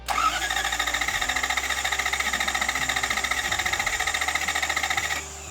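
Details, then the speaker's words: 1989 Toyota Pickup with 1UZ V8 swap, new starter fitted: steady even starter whirring about three and a half pulses a second for five seconds with no catch; cranks but no start, owner suspects a fuel issue, fuel pump unconfirmed. "well great news the new starter works absolutely fantastic every single time bad news well the whole truck doesn't start anymore I'm pretty sure it's just a fueling issue"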